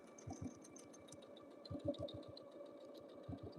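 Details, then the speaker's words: Quilting on a sewing machine: rapid even needle stitching gets louder in short surges as the foot rides over a thick seam allowance underneath; normal, the louder sound just marks the seam. "I didn't know I was up in that seam allowance and I heard that noise. I'd be like, "What is going on?""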